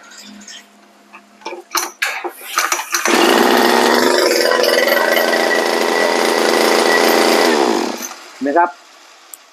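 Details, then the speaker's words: Model 411 two-stroke brush cutter after squeezing the loose connector on the ignition coil's red wire to the stop switch (previously wouldn't stop, stuttered): buzzes steadily about five seconds, then cuts dead at once; kill switch now works properly. "ตอนนี้ดับแล้วก็ดับเลยนะครับ"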